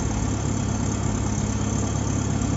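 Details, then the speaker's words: 2005 VW Gol 1.0 8v Power engine after a top-end overhaul for lifter noise and oil leaks, with new parts fitted. On restart it has a steady, smooth, quiet idle with no lifter ticking: normal idle after repair. "é só motor bem quietinho ali ó"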